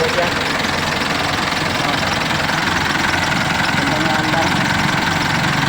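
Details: Mitsubishi Elf 4M50 diesel, after repairing the hard starting problem with injector nozzle repair and crankshaft sensor replacement: steady, even diesel clatter at idle with no misses, stumbles or hunting; idling smoothly.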